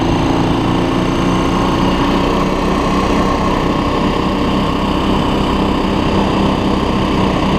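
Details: 2006 Honda TRX400EX Sportrax hybrid build, fully assembled after heat cycles: a crisp, even single-cylinder putter at steady idle with no knocks or misses. The freshly built engine sounds healthy.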